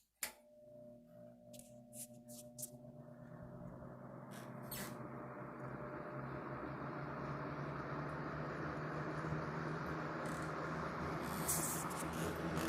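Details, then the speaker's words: Vintage GE WC2 mini box fan, likely early 1970s, with a clean bearing and long spin-down, started on low. After a few clicks the motor spins up to a soft steady hum with airflow hiss; a normal, healthy fan. "it's got a bit of a motor hum to it like all of my other ge box fans do"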